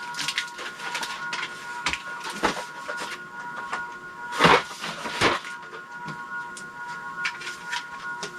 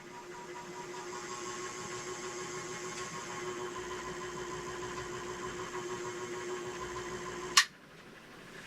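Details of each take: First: Envirofan 160F 56-inch curved blade industrial ceiling fan, motor with blades installed on variable speed control: steady high-pitched electrical hum under clicks and handling, much louder with blades on than without. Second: Envirofan 160F 56-inch industrial ceiling fan motor on variable speed control, before blades installed (no load): quiet, steady mid-pitched hum with faint airy hiss, no rattle or grind; not too loud.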